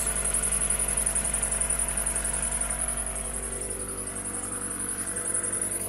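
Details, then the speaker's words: 1997 Mitsubishi Eclipse Spyder idling the day after custom exhaust work was sealed: exhaust quiet with no leaks, but a thin, very high chirp repeats about three times a second from a slipping, squeaky accessory belt. "quiet besides my squeaky belt still I don't hear any leaks"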